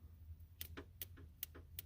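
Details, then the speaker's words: Abandoned Plymouth Duster sitting two decades; wire touched to positive on the ballast resistor circuit; crisp snapping pops about twice a second as the coil fires, spark present. "I don't know if y'all gonna be able to see it or not but that definitely worked I think because pretty sure it's sparked the spark plug if you look right here it's definitely sparking"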